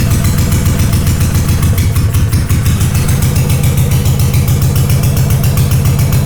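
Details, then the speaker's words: Honda GL500 twin, not started in over a decade, first start after a wiring loom rebuild with old oil inside: a lumpy low thump at about 200 pulses a minute with a stumbling beat on full choke, cause unconfirmed. Rough idle on choke after long storage. "Pull the choke up. That's freaking encouraging. That bike is not started in over a decade."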